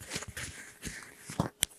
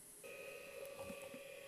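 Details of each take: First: Old failed SCSI hard drive, already tested as bad, being powered on: after handling clicks, a rising whine and growing rough rumbling roar like a jet engine spinning up, sounding like it's flying apart. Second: okay I just did get a the dink sound so I think we have a drive 6 gig drive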